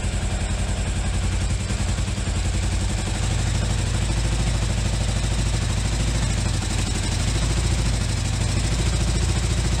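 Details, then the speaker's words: 1981 Yamaha XV920 V-twin, first run after starter replacement and carb work: lumpy, uneven beat with puffing pulses, won't take throttle; rough running, owner suspects an exhaust leak, lots of tailpipe smoke, cause unconfirmed. "doesn't like throttle is that an exhaust leak"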